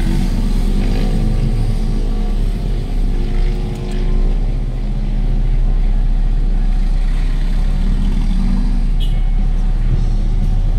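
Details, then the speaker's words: Hyundai Getz 1.6, previously misfiring with jerking and engine vibration, after ignition coil/firing-order work: deep, even idle with steady rhythm, shaking gone. Smooth idle after repair. "tapos yung panginginig wala na ganda na oh"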